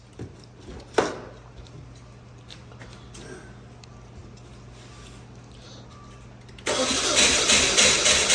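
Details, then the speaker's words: 2014 Dodge Dart 2.4L MultiAir, morning after installing a used brick: extended cranking, fast steady starter churning, engine never catches, codes erased; owner fears burning the starter, suspects brick oil pressure not built up. "All right, well, I erased the codes. It's really trying. Yeah, my fear is just that I'm gonna burn the starter up."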